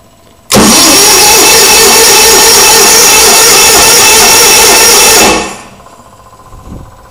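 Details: Onan generator after quick carburetor cleanup, started by jumping pin nine to pin five: loud steady cranking about five seconds, no firing; cranks but won't start, fuel not reaching the bowl suspected, not confirmed.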